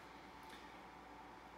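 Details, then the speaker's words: LED grow lamp for plant seedlings: soft, steady airy whir with a faint thin tone near 1 kHz from its small built-in cooling fan, a known defect of these models. "c'est sûr que ce ça fait pas sélective aldata d'ordinateurs une femme devant ce matin mais si vous remarquez ça fait du bruit puis c'est le défaut sur ces modèles"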